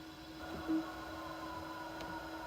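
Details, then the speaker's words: 3/4" U-matic tape deck playing a humidity-degraded 1980s Sony tape that wouldn't rewind: steady motor hum with faint whine, reel motor straining on sticky tape, freeing up somewhat on rewind. "Sometimes it just is wearing on the motor so much. So like I'll rewind it and it just it's freeing up a bit now,"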